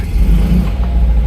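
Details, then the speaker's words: Classic Fiat 500 after the engine was removed and the spigot bearing was addressed: clutch down in gear, only a smooth, low engine hum with no rattle or whirr. The earlier awful clutch-in noise is gone, so it is fixed. "no noise at all I'd say that was fixed"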